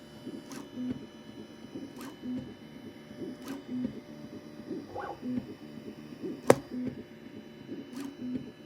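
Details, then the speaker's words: New Bambu A1 Combo 3D printer at first print (bed 65°C, nozzle 220°C), phone held close: soft tick about every 1.5 seconds with a faint rattle underneath. Owner suspects the bearings are slightly loose. "I don't know if you guys can hear the the bearings but I can feel like they sound like they're a little loose"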